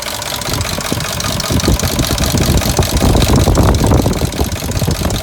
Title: 2003 Dodge Durango V8 4.7L engine rattling noise